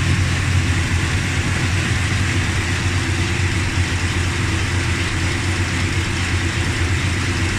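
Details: Dodge Ramcharger idling after replacing pushrods, rockers and rocker shaft (oiled before start): even, steady low rumble with no ticking; the tick is gone, normal idle.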